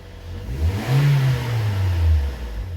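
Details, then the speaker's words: 2013 Toyota Corolla 1.8 16V Flex with CNG, 144 hp, automatic, AC on: engine revs and drops back, rough low drone from belt drive on throttle release; alternator pulley seized, not freewheeling. "largou o barulho [Música] volta muito feio tá bom vamos olhar na região das Correias ali barulho horrível barulho horrível vou desligar até medo"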